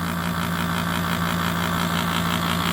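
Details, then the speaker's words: 2003 Kenmore R22 window AC, hard-starting, dirty coil, after about 5 minutes running, 66-68°F output in 82°F barn; steady loud hum, low drone with fan whoosh; bearings possibly worn, unconfirmed; loud compressor noise. "You can hear that compressor. It's a little bit loud."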